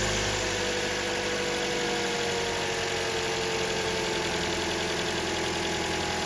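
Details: 2011 Toyota Corolla S after coil pack replacement, idling in drive with the brake on and A/C on: even, steady idle with no stumbles or dropouts; the intermittent misfire is gone.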